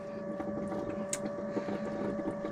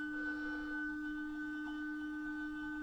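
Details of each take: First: Motorhome fresh-water pump, system unused for years, after clearing the airlock; steady high hum with fast light pulsing as water flows through, pump fine, fault was the airlock. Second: Motorhome fresh-water pump (Truma system) unused for years, tank previously dry, tap opened; steady high-pitched hum and vibration but no water coming through, suspected airlock or pump run dry and possibly ruined.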